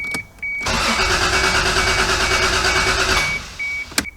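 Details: Toyota MK3 Supra not run in two years: starter whirs steadily about three seconds with no catch and no fuel pump prime heard; cranks but won't fire.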